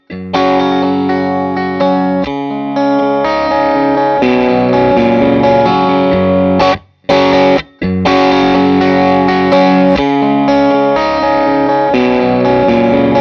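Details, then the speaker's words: 18W Plexi clone tube amp after no-sound repair, miked test cabinet with Eminence Red Fang and Celestion speaker, mic just off cone center, playing a loop: strong clean guitar, no hum, crackle or cutting out; fixed, running well. "this particular amp has fixed nice output all running well job done"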